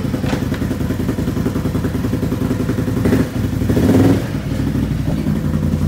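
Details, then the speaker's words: 2020 Can-Am XMR 850, once flooded, after a full fluid change, revving in neutral: even running with a steady exhaust beat, no stumbles; misfire gone. "Hey it sounds a whole lot better it's not misfiring you gotta be careful with them nabis"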